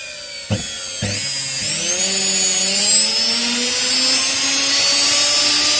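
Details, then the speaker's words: Washing machine universal motor (6 wires), series-wired direct to 220 V single-phase, unloaded: a couple of clicks at switch-on, then a bright whine climbing steadily as it races to very high speed; normal running. "Je sais pas si vous voyez, mais ça tourne extrêmement vite."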